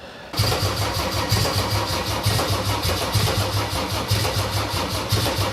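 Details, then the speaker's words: Mercedes OM606 diesel with Ofgear pump control: starter churns in slow, uneven pulses about one every two seconds, engine never catches; battery is flat. "Aku on läbi."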